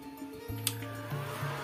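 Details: Wildcraft 120i MMA inverter welder repaired after giving no output current, reassembled in its casing and powered on: after a click the cooling fan spins up to a steady low hum with a faint whir. It runs smooth and the welder works normally.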